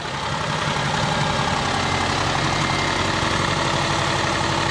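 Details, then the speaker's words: Subaru Forester L.L.Bean, first start after a broken timing belt, rebuilt with used components and belt: uneven, loose idle at about four beats a second. Owner suspects compression loss and bent valves; white smoke suggests a head gasket problem. "that sounds great there's probably some loss of compression there's probably some vent valves but it runs can't believe it"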